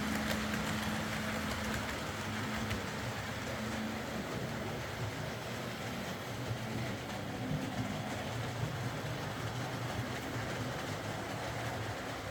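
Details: Old Hornby R751 Class 37 model locomotive after repair, wheels cleaned of corrosion with a rotary tool and brass brush, body refitted, on track: smooth, steady motor hum with soft wheel clatter, no stutter or grind; normal running.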